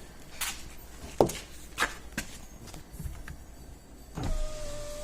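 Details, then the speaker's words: 2007 Suzuki XL-7 rear power windows from master switch: switch clicks then steady even motor whine as glass travels; right rear works, left rear goes down but not up from master switch, works from own switch. "right rear window works down left rear window goes down but not up from the master switch but the left rear window works"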